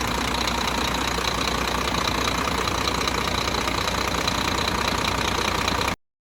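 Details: Scania truck, newly installed replacement diesel, first start after thawing from frost (original DC13 had strange noises and oil pressure light): even, steady idle with regular light clatter, no irregular knocks; runs smoothly.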